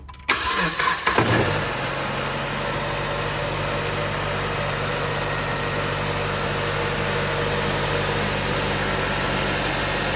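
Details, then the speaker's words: 2013 Chrysler 200 on a cold, rainy morning, started after replacing the alternator, whose clutch pulley had been slipping and making a racket: catches quickly and settles into a smooth idle with no squeal or rattle from the front. "No wild crazy noise like we used to be hearing from this area. That's good. Because that clutch pulley was slipping and making all kinds of racket and noise."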